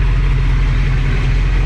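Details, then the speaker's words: Just-bought 1979 Chevy Camaro V8 (305 or 350 unknown) with a non-working transmission, idling after being towed. Deep, even burble with no ticking, knocking or exhaust smoke. Engine sounds healthy. "yeah sounds good I mean it sounds healthy no smoke coming out of the exhaust pipe"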